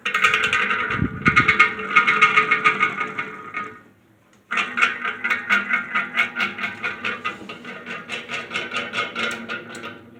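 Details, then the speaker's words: Heavily worn Patton U2-1479 14-inch floor fan on its first test run: repeating squeaky chirps, about 1.5 per second, over the fan hum. The motor bearings are dry and worn and want oil, the washers likely need replacing, and a rebuild is likely. It is free spinning, not seized. "So yeah, I think I'm gonna stop right there. I mean, the bearings are definitely in need of oil, but it sounds like those the washers in that thing definitely need to be replaced."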